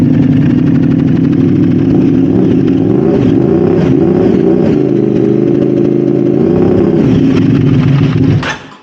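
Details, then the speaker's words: Modified Aprilia RS660 after throttle body reset and fault clear, no faults shown: uneven, lumpy running with hunting, stumbling revs; throttle still playing up, cause unknown. "yeah it still doesn't sound good see if anything's come back on the computer yeah no Faults so not sure where the throttle's playing up now"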